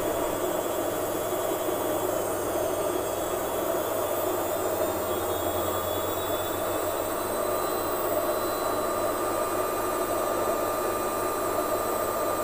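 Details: Lux Royal WH 1093i washing machine after replacing the inner drum and cracked spider with shaft: fast spin, smooth steady hum with faint constant tones, no gasket rubbing or knocking behind the drum; sound now normal.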